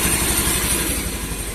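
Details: Honda Beat eSP that died suddenly with code 52, traced to a wire touching ground and now insulated: the small scooter engine idles smoothly and evenly with no stumbles or cut-outs. Running healthy.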